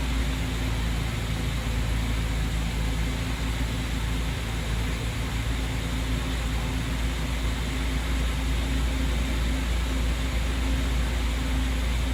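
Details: Ex-British army Bedford CF Ferguson 4x4, about 7000 miles, parked for years, first start on a freezing cold day: steady, even low rumble with no knocks or misses throughout; running smoothly after long storage.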